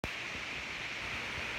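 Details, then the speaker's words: iPhone 7 Plus on iOS 15.2 recording a Short in the YouTube app: constant bright hiss like steady static; recording hiss, cause unknown. "hey i'm making this video so you can hear this uh hissing sound that i get when i record using the youtube app trying to record a short"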